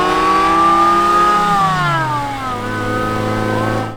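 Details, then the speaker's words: Mazda Miata drift car with a $300 Amazon supercharger, test drive revved to about 5200 RPM: strong revving with a clean rising and falling tone, smooth pull, no knocks or rattles; the supercharger survived with its rotors intact, normal supercharged engine revving. "that was crazy I didn't even dare go above like 5200 RPM it sounds ridiculous we have a supercharger"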